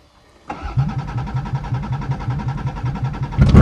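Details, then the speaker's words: A 1989 Dodge Caravan that had been sitting cranks with even pulses about four a second for three seconds, then fires and surges; a normal start, but the exhaust sounds rusted out and oil may be low. "oh she lives too sounds like the exhaust rusted out since it's been sitting here"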